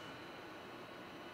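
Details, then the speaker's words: Apple iMac G5 loading the boot picker, with no operating system installed: a loud, steady rushing roar of the cooling fans at full speed, with a strong breeze from the exhaust vent; the cause is not clear. "oh they're gold the fans holy [ __ ] dude calm down boy I just loaded the boob picker is all oh my gosh this thing is gonna take off I can feel a nice breeze from the exhaust vent"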